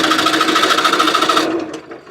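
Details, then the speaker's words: 1989 Trabant 601 S Combi, 600cc two-stroke: fast, even starter churn about 1.5 seconds with no firing; no spark at plug, points on one cylinder not working. "Nothing. No spark whatsoever."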